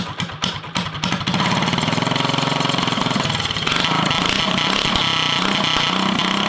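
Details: Drift go-kart small single with stage 1 kit, first start after sitting over a year: revs surge and stumble, idle never settles; owner suspects it just needs running; unstable idle.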